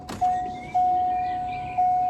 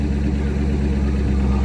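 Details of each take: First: Corvette C5 coupe V8, a crash-damaged non-runner, first start after repairs having not run for a while: a chime, then it cranks and catches into a lumpy, uneven idle; slight misfire suspected from sitting. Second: Corvette C5 coupe V8, a former non-runner, after repair once the initial start-up misfire had smoothed out: deep, steady burble at idle with no misses or knocks; a smooth, healthy idle.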